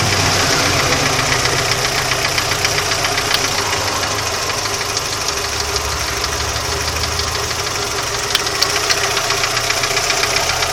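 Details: Audi 80 idling steadily with a sharp, fairly regular tapping knock about three to four times a second; the cause is not pinned down.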